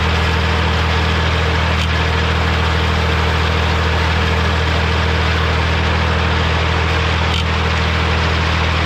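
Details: Morra F25-6 disc mower on a tractor, test run after repair (it had a pod bearing failure the year before and is down again). Constant low drone with a steady drive tone and no clashing or knocking from the discs; runs smoothly with no commotion.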